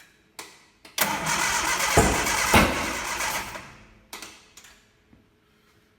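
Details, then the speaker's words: Ford Kent Crossflow with 711M Delorto carburettors, first start after fitting AccuSpark ignition kit, ethanol primed: cranks, fires roughly with sharp bangs, pops and backfire, then dies; ignition timing was 180 degrees out. "It sounds like the timing is massively out. I hope you can hear me over the rain. I tried to start it a moment ago and it backfired and sounded like the timing was massively out. So I sat down and had a cup of tea to think about it. And I realised I was 180 degrees out."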